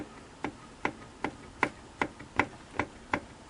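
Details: Singer model 457 sewing machine turned by the hand wheel: sharp, even clicks about two to three a second; play in the horizontal arm shaft, fixed by moving the adjusting collar against the bearing.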